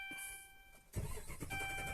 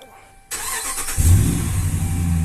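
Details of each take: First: Dodge Ram with fuel pump already replaced and no stored codes: the starter churns the engine steadily but it never catches; no fuel reaches the engine because the fuel pump gets no power from a faulty TIPM fuse box. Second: Dodge Ram that cranked but wouldn't start, no fuel pump power, after replacing faulty fuse box: short crank, catches cleanly and settles to a steady, deep idle with no stumble; normal start.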